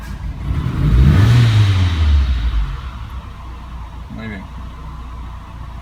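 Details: 2007 Renault Logan 1.6 8-valve SOHC: rough, uneven rise on throttle then sags to idle; bogging and misfiring suspected from faulty MAP sensor circuit; car also showing hard starting, fuel-soaked plugs, smoke and unstable idle.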